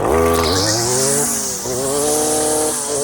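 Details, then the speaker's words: Stihl FS56 residential string trimmer in tall, thick grass with the line bumped out too long on its self-feed head: high two-stroke buzz sags in pitch and labors as it bogs down, then partly recovers. "hear it bogging down. So the the sound of your engine, learning how it should sound and how it should feel is a big part of weeding efficiently."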